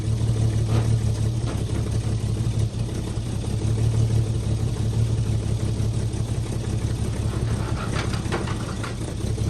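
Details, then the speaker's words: 1946 Chevy boom truck inline six, revived after 35 years with oil pan full of water, water in two cylinders and a locked engine: steady, even low idle with soft rumble, no knocks or misses; runs pretty good. "Old girl running. I gotta say, she runs pretty good. All things considered, the oil pan was full of water and she was locked up."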